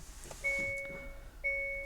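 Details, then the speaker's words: 2021 Hyundai Kona 39 kWh on start-up, with the charge door mechanically closed but an electrical fault persisting; the bonnet-open warning is also lit. A two-tone chime repeats about once a second in a quiet cabin: the charge-door-open warning is sounding. "Même avec, voilà, même avec le fait que la trappe soit bien refermée mécaniquement, on a toujours le défaut électrique. Donc chargement porte ouverte. Moi en l'occurrence, je peux continuer à rouler comme ça, il y a juste le bruit qui va être agaçant."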